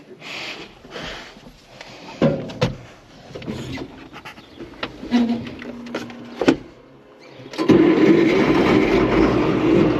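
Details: Allis Chalmers 7580 tractor diesel after replacing a failed fuel pump with a new Holley electric pump and bleeding an injector: uneven cranking chuffs, then it catches and settles into a steady run, with no leaks.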